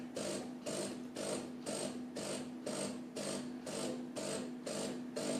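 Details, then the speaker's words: DeLonghi Magnifica S Cappuccino espresso machine that brews no coffee, with all water going to the drip tray: pump gives a pulsing buzz about twice a second over a steady hum but delivers nothing; the panel appears incorrectly assembled. "as you can see, you can hear it buzzing, but nothing comes of it."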